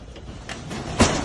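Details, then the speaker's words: Residential garage door after all 10 wobbly, worn cheap metal rollers were replaced: it glides along its tracks with a soft, even roll and a light thump near the end, far quieter than before. "So we changed the rollers out, all 10 of them. The door is so much quieter, rolls so much better. Night and day."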